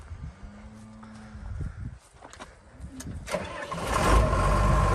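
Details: 1998 Ag-Chem RoGator 854 sprayer, Cummins diesel, reportedly about 5,200 hours, hydrostatic drive with wheel motor redone about 100 hours ago: brief cranking, then catches quickly and settles into a steady, even low rumble; clean healthy start.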